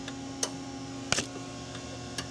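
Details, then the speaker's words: 2002 GMC Sonoma 2.2L with a P0410 inoperative secondary air pump: sharp relay clicks over a steady hum as the air pump relay is commanded on and off with a test light. The relay switches normally. "There's a relay clicking. So, as I turn it on and off, we'll leave it on."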